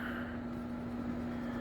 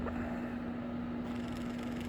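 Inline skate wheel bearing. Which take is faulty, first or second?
second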